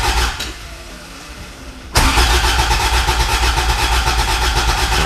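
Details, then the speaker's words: Long-abandoned Toyota MR2 with starting fluid, a little gas applied: the starter grinds the engine at a steady four beats or so a second but it never fires. The starter is overheating from cranking. Crank, no start; cause unconfirmed. "not even gonna worry about it yeah you're just cooking the starter right now"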